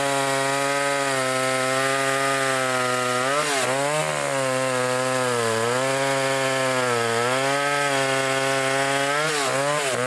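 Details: Old vintage foreign chainsaw cutting wood: steady high-revving two-stroke wail that sags slightly as the chain bites and recovers cleanly, pulling strong; normal cutting under load.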